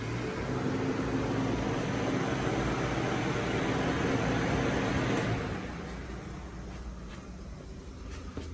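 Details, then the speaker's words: Freshly rebuilt Mitsubishi Starion/Conquest G54B engine just reinstalled, first start: even starter cranking about four turns per second for five seconds without catching, cranking to build oil pressure before first fire-up. It later started and idled. "All right, nothing yet. So I'm gonna keep cranking her until we get some oil pressure, and we will take it from there."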